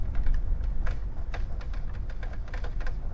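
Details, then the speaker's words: 1993 Gazelle Speciaal bicycle ridden slowly with little wind: light, irregular pepper-grinder clicks from the rear hub, likely a dry or worn hub bearing; brakes work. "I'm hoping you can hear the pepper grinding noises coming from the the rear hub"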